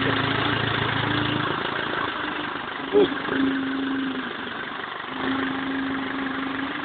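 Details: BMW E46 320D 150hp diesel, first start after an engine overhaul following swirl flap failure: steady idle with an even hum and a slight rhythmic pulse, no knocking or rattles; smooth, healthy normal idle.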